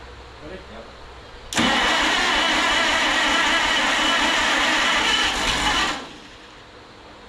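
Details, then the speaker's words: Minneapolis Moline RTE tractor engine after rebuild and water pump work, spark confirmed: about four seconds of steady cranking without firing; no-start because no fuel reaches the engine. "Not getting any gas."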